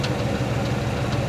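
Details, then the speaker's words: 1973 Chevrolet C10 Custom 10, 350 V8, 4-speed, at idle with 30 psi oil pressure: faint irregular low knock that comes and goes; seller claimed bad rod bearing, but pulling plug wires one by one didn't change it. "cuz you can tell it kind of calms down. Sometimes it goes away entirely and it gets worse like you're hearing."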